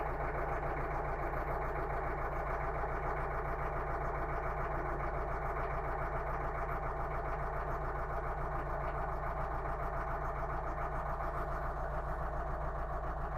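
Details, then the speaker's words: 2012 Renault Megane 3 1.5 diesel with check engine light and code P0202, cylinder 2 injector control invalid signal: uneven pulsing idle with a regular stumble, one cylinder missing; diesel misfire rough idle. "так проблема У нас з другим циліндром то есть вона троїть то жалоба на те що вона троїть"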